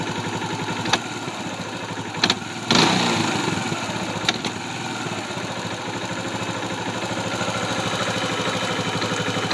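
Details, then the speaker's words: 2004 Kawasaki Bayou quad engine, timing chain snug and timing set correctly: steady idle broken by an occasional sharp knock or catch, more when the gas is tapped, sometimes sputtering or stalling; owner unsure if it is normal or a fault. "you can hear the little uh knock when I give a little bit of gas not quite sure if it's a like if that's just the way the engine sounds or it's just that its age"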